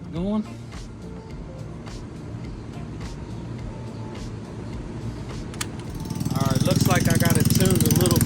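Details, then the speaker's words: Boom Vader Grom clone small single after installing a Mikuni knockoff carburetor, adjusted to idle around 2,000 RPM; quiet start, then catches into a quick, regular, steady fast idle. Normal idle. "did an adjustment, got it idling at around 2,000 RPM. That is where we have to be."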